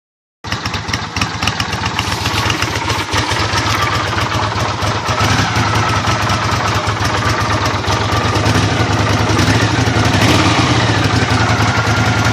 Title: Honda CX500 rough idle